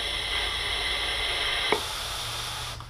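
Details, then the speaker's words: 2004 Chevy Impala LS EVAP vent valve (normally open) bench-tested with compressed air while chasing code P0455; steady airy hiss through the open valve that stops when power closes it, so the valve is working normally. "so um the valve is closing which is good um opening and closing it's normally open so without power it's open when you engage power it closes"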